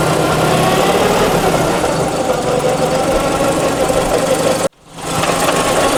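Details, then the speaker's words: Mazda RX-7 FC rotary, manual transmission, no oil drained from gearbox: idling on a touch of throttle with uneven clang-clang rattle about four times a second; transmission noise, gearbox to be removed for diagnosis. "that's the noise so that's the noise that he's talking about that clang-clang"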